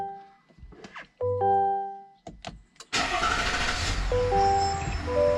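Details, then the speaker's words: 2021-2023 GMC Yukon XL Denali 3.0 Duramax LM2 diesel, after fuel filter replacement, oil change and fuel pump priming: starter turns briefly, engine catches at once and settles into a steady, even idle; clean start. "okay we have a good system start"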